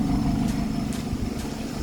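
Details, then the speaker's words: Former taxi car after its misfire was fixed by replacing an ignition coil, idling with the AC on and steady RPM: an even exhaust note with no popping or stumble, running smoothly. "So, as you can hear, it sounds much better. No, P. And I actually think we fixed it."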